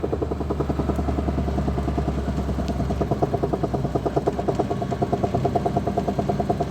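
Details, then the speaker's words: Badly worn CV joint knocking: a dull, rapid woodpecker-like knock, about three per second, over a low drivetrain hum; both CV joints on this car are due for replacement. "многие люди не могут разобраться боятся сразу когда появляется такой стук в автомобиле но это стучит именно шрус"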